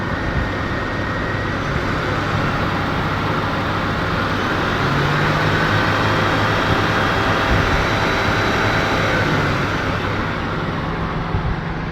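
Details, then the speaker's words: LN3 3800 V6 idling with AC clutch engaged after harmonic balancer (crank pulley) replacement; smooth, even hum with no rattle or tick, excessive balancer noise fixed. Cracked flexplate had been suspected first, ruled out. "sound sounds really good I'm going to consider this one fixed"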